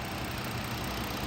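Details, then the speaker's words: 2014 Ford Taurus Police Interceptor AWD, 3.7 L, 97,000 original miles, collision damaged, idling after running over an hour: quiet, even hum, steady low rumble, no knocks or ticks; engine sounds good, automatic transmission engages. "motor sounds good it's been running for over an hour automatic transmission engages and AC blows cold"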